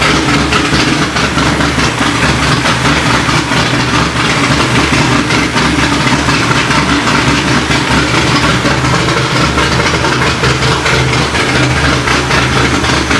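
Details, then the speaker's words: Corvette C6 Z06 first start after B3 cam and McLeod RXT twin-disc clutch install, with ported heads, FAST 102 intake, 65lb injectors, 1-7/8 headers, straight-pipe axle-back, E85 tune: loud, lumpy, even big-cam V8 idle, no ticking; healthy, air-fuel close. "there you have it guys b3 cam install along with the rxdr twin disc clutch and it sounds it sounds good"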